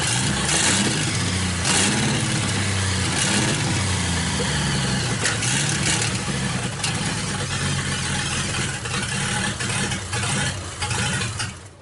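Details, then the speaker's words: American LaFrance V12 running rough with sharp pops through the exhaust rumble: a backfire that apparently broke the JB Weld repair loose so the part now wobbles. Vacuum leaks are suspected. "Well, I think it broke our JV weld loose. Backfired, and it wobbles now."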